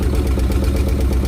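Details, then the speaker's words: Farmall tractor gas engine with new plug wires just installed: low, lumpy idle with uneven beat and faint irregular knocking; ignition timing out, fix is loosening and turning the distributor until it sounds right. "what you're hearing right there that's a timing issue it's out of time I'll just loosen the distributor up and turn it until it sounds a lot more right"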